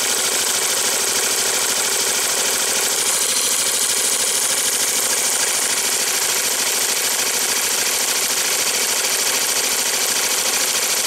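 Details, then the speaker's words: 2005 Yamaha Majesty YP400 scooter, just after an oil and filter change: the starter spins, then the engine catches and settles into a quick, even patter of about 200 beats per minute; normal start. "this thing wasn't even attempt start can you hear that fuel pong good to go it starter"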